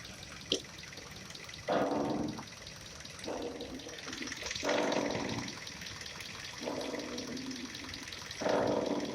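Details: Kia Rio 4 front suspension: long creaky groans about every two seconds as the steering wheel is turned; the upper strut mount was suspected, but the cause was the ball joint, which was later replaced; ball joint squeak.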